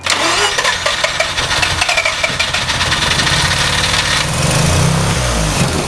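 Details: 1988 GXL cranks steadily with rhythmic pulses but never fires; engine turns over but won't start.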